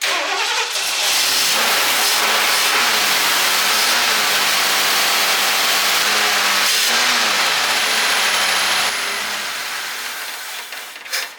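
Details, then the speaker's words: 1978 Lincoln Continental 460 big-block V8, buried 15 years, fed old fuel with fuel pump off: fires, surges unevenly and dies, flooding from a stuck carburetor float overflowing the bowl. "So the float is stuck. Let's see if it'll even run on that nasty stuff. We'll leave the fuel pump off. Contact. Now we flooded."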